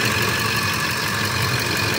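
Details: 2004 Ford F-150, reportedly 5.4, shaking with codes P0301–P0304 and P1131: uneven idle with irregular stumbles and knocks. Engine misfire at idle.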